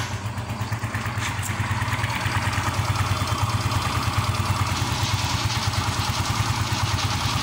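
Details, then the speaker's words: Yamaha Mio M3 scooter after fixing a growling noise at starting and shutdown, traced to dirt/residue in the starter-dynamo area: quick clean crank, then a steady even idle with no growl; noise gone. "Oke teman-teman suara ngorok sudah hilang"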